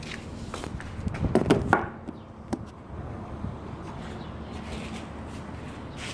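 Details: 110cc SSR 4-stroke, 4-speed pit bike: oil changed, fresh gas, carb and spark plug cleaned, still won't start; irregular kick-start thumps with no firing, cause unknown.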